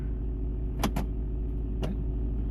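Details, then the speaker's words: Smart 451 1.0i petrol idling steadily while the clutch actuator engages reverse with quick clean clunks; gears go in normally while running, though after shutdown it won't restart or leave neutral. "Mira ves el coche en marcha todo perfecto y las marchas entran todas perfectamente ves marcha atrás ponemos"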